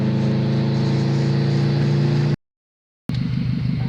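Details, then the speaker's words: Subaru WRX after limp-mode diagnosis, ECU corrections now healthier: strong, steady engine drone pulling cleanly under load, briefly cutting out and returning; turbo boosting normally again. "Okay, so I am like struggling to stop the smile from forming on my my face because the car is boosting again. My turbo is back."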